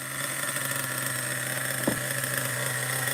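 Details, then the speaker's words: Vintage Schumacher XTR-3E nitro stadium truck at first fire-up, engine still cold: it buzzes at a slightly lazy, uneven idle, then dies because the mixture is set too rich. "oh died too too rich too rich let me touch the engine so yeah the engine is freaking cold"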